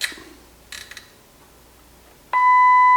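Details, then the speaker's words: Kenwood KA-5700 amplifier with no sound from either speaker, checked with a signal tracer: silent at the faulty switch apart from handling clicks, then a clean test tone on both channels once the switch pins are bridged. "So, the connection is not being made with this switch. There's a faulty switch right here cuz I I should actually hear this."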